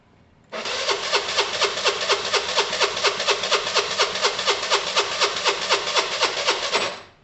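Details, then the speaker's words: 2012 Piaggio Fly 125 scooter, unrun since December, fuel and clean oil checked, only a new battery fitted: catches immediately and settles into a steady even idle with a regular pulse; starts and runs cleanly. "all i did guys was put a new battery on it fire it up let it sit for a few minutes it started up that's uh unbelievable"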